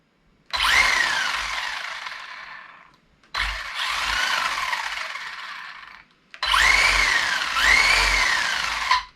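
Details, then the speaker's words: Etronix 3300Kv brushless motor in a Tamiya TL01-based Team C Jekyll RC buggy conversion: three quick clean high-pitched spin-ups coasting down without stutter; motor fine, earlier fault was a poor push-fit connection. "Must have been a poor connection on this push fit. So the motor's fine."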